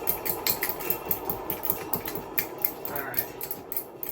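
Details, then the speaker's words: Salvaged Hunter ceiling fan with a broken switch housing, spinning up on test: scratchy, uneven rattle and rough ticking over the motor hum; the bearings sound dry and worn. "this fan actually spins now the bearing sound terrible as you can hear"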